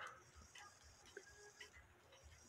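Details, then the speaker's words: Musical clock music box attachment running with quiet music box notes and sharp irregular clicks; the clicking is the pinion gear slipping off the main gear, cured by adjusting the pinion to mesh deeper with the main gear. "it's not spinning correctly it I hear it clicking and that's because this needs to be adjusted some"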